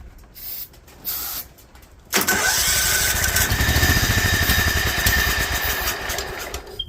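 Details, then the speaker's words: Toro Wheel Horse 265 lawn tractor, bought cheap and neglected, started with choke and starter fluid on a replacement starter: catches with uneven firing, runs a few ragged seconds with a bad internal clank, then dies; internal issues suspected. "we're not staying running for some reason I can hear a really really bad Clank on the inside of this thing I'm gonna bet that it's probably got some internal issues"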